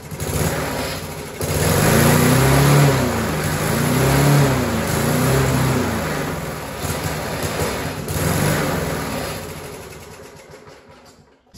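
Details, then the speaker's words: Rover 4-stroke walk-behind mower found dumped curbside, first start after primes with new muffler, throttle mid position: single-cylinder engine hunts up and down about every 1.5 seconds, never settling; surging, suspected governor spring or carburetor problem. "as you can see the engine really does want to run however clearly there's an issue with the surging now I'm going to say that's probably a governor spring problem or a general carburetor problem"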